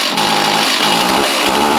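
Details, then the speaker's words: Stihl chainsaw, free find of unknown sitting time, just started after possible flooding: small two-stroke buzzing at a steady high pitch with no stumbling; running cleanly, kept from high revs. "awesome that's great see if it crank back up I don't know how long they've been sitting I don't really want to rev them all that much"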